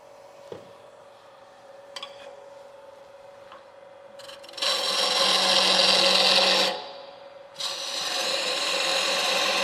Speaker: I'm not swinging it fast enough and I'm not cutting I got a really nice chatter in there now I'm going to slow it down